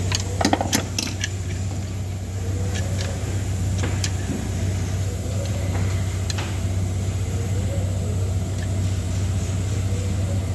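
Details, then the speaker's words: Renault Master diesel, with gear-driven lower timing and a belt-driven upper section, idles with a deep drone and a loose, irregular metallic rattle; the timing gears themselves are damaged, not the belt. "Samet motorun alt kısmı komple dişli bu araçlar dıb Şişli kısmına çatışır ses geliyor"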